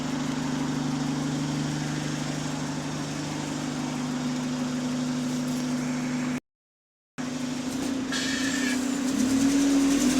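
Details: Diesel bus GAL 731 on route 126 with a repetitive tick of about three to four per second over the drone that continues as revs build under throttle. The cause is unknown.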